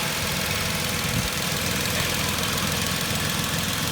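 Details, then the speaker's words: 2010 Vauxhall Corsa 1.0 Ecoflex three-cylinder replacement engine whose tapping, mistaken for big or little end, came from worn inlet manifold swirl flaps; with ECU-controlled swirl flap solenoid disconnected, steady quiet even idle, no tapping: normal idle. "that's amazing now the engine's lovely and quiet"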